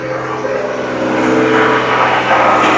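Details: Car start after long winter, battery and IAC valve replaced: steady, fast, high-pitched idle staying around 3,000 rpm for about 5 minutes; high idle persists after IAC replacement, cause not yet found.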